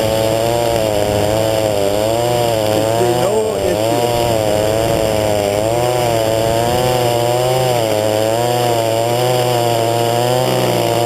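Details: Echo SRM-225 string trimmer, new and being broken in, warm restart without choke, running under throttle with a high steady buzz and slight rhythmic pitch waver, no misses; a little smoke, slightly rich, but runs good, no issue.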